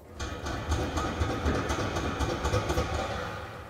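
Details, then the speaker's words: Ford Escort Mk2 with Harris Pinto engine over 200bhp, running: uneven dull thuds about two a second over the engine rumble as the low-slung exhaust permanently touches the rear anti-tramp bar. "so underneath there if you have a look where the exhaust comes up comes up tight because it's so low it's actually permanently touching on the anti-tramp bar"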